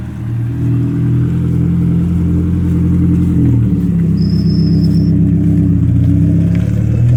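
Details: 1992 Saab 900 non-turbo 2.1 with a newly fabricated and welded exhaust replacing the old leaking one: steady, even engine drone with a gentle rev rise and no ticks or leaks; running smooth after a hanger rattle was fixed.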